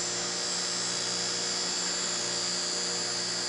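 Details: Small fischertechnik DC motor driven by a Raspberry Pi through a transistor with PWM: a steady high whine over a low electrical hum, running smoothly with no grinding or stutter.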